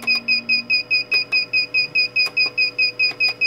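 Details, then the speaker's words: BK-400H business card cutter sounding fast, steady high-pitched beeps, about five per second: the cover-open warning, triggered when the upper cover's sensor nub is missing. It stops once the cover is refitted. "근데 얘가 없이 그냥 누르게 되면 이런 소리가 나요. 카바가 벗겨졌다고."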